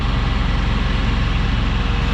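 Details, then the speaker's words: Generator in a Ford Transit van after an auxiliary fuel port connector fix, with its exhaust hooked to a shop fan system: steady, low, even thrum with no surging, running cleanly. "Crawl up in here and we'll start the generator. You can hear it running."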